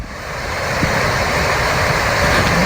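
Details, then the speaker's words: 2006 GMC Yukon Denali XL blower fan after cleaning out packed debris: steady airy rush with no scraping, rattle or flutter; earlier bad noise gone, fan spins freely. "sounds good now it's not making that bad noise anymore it was just filthy"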